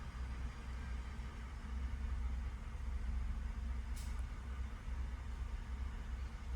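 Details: 2019 Ford F150 5.0 at 77k miles, put in drive at idle: quiet idle swells then sags unevenly, RPM dipping toward a stall; fault traced to bad bank 2 VCT (cam oil control) solenoids for intake and exhaust cams.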